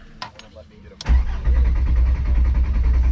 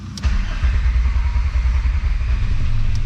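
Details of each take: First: VR5 Savoy after adding fuel: starter cranks steadily for about three seconds but never catches; owner suspected a dead fuel pump, and the cause was a blown fuel pump fuse. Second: VR5 Savoy on its first drive, starting after work on a suspected grounding fault behind a popping fuse and a 20 amp fuse refitted: brief crank, fires and settles into a steady, even low rumble with no misses or knocks; clean start.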